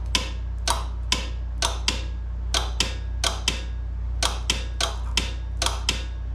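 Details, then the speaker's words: Craftsman GTS5000 mower (Kohler engine) electric PTO clutch bench-tested with makeshift battery wired to its plug: sharp clicks about twice a second, some in pairs, over low hum; clutch engages but struggles, sticking. "having a little bit of a hard time but it is engaging"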